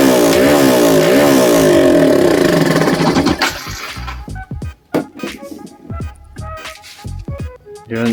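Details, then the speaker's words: Yamaha SZ-R 150 motorcycle, stored for a long time and not starting, running before carburetor cleaning. Engine revs up cleanly and falls back without misses or knocks, then settles into a smooth, quiet run; engine sound is still good. "pa naman siya okay pa maganda pa yung tunog ng makina muk tahimik"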